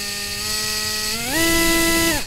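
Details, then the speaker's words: FPV drone motors tested one by one with reversed motor direction: clean, even motor whine spinning up to steady pitch and down, no rasp; motor sounds healthy. "that sounds okay oh [Music] that sounds very nice nice"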